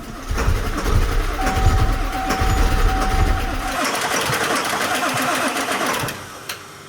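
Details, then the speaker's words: Auction 7.3 Powerstroke diesel truck cranks heavily and unevenly, smoking and trying but never firing; old fuel of unknown condition, possibly ghastly, no ether used. "all right kraken man is it trying it's a willing start buddy"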